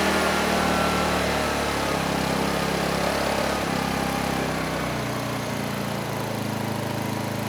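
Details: Honeywell HW2000i 2000 W inverter generator: runs smooth and steady, then idles down to lower speed about five seconds in with no hunting or surging.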